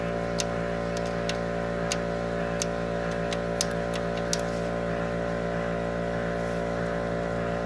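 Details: Ford Mustang three-valve V8 at idle: sharp irregular tap about four times a second over a steady idle; valvetrain knock suspected at the cam follower or roller rocker, source unconfirmed.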